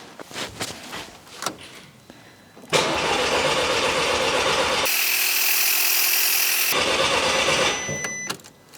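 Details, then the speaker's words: Mk5 GTI after a fresh turbo build with a new basemap: the starter cranks steadily for several seconds without firing, with the coils disconnected to build fuel pressure and get oil to the turbo before first start. "so I'll turn it over with the coils disconnected and that'll enable the fuel pressure to build up a little bit as well so let's just turn it over"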